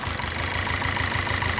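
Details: VW/Audi 2.0T engine idling with a stumbling, uneven beat and irregular dropped firings; random multiple-cylinder misfire codes P0300/P0354 with a mix of new and original coil packs and loose plug connectors; fixed by replacing the PCV (crankcase breather) valve.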